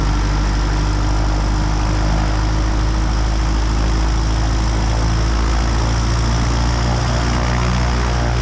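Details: Aviat Husky aircraft engine on its second run after rebuild and overhaul following submersion: deep, even engine drone holding steady with no misses, knocks or surging; a healthy idle.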